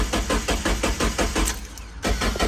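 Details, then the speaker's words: Mazda Miata abandoned in a field over 10 years, fresh fuel added: starter cranks briskly, four to five even pulses a second, pauses, cranks again without firing; crank sensor later found rat-chewed. "If you look at the crank sensor, the rats chew the sensor up. So you're not getting a crank signal, you can't start the car."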